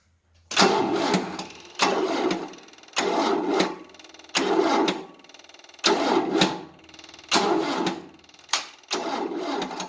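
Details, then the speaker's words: 1988 Tennant 255 Series II sweeper, long unstarted, new fuel line, on a booster with cables getting warm: seven or eight laboured, slowing crank attempts that never catch; slow cranking, no start. The booster is doubted to be enough. "Yeah, this thing has not been starting forever, so that booster is probably going to go dead. But we'll give her a while."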